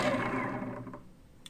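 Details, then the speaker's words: New 4250 560KV brushless motor received damaged: whine winds down with gritty rough rattle on top then revs back up; rough running, ball bearings appear damaged. "you hear the the the sound is not not okay very very bad sound it look likes uh the bearings ball bearings are damaged here"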